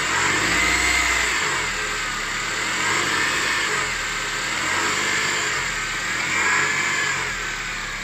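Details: 2006 Honda CR-V K20A4 petrol engine, noise most pronounced at 1500 rpm: harsh, gritty whirring over the engine note, swelling and fading with revs; fixed by repairing alternator and power steering pump and replacing water pump.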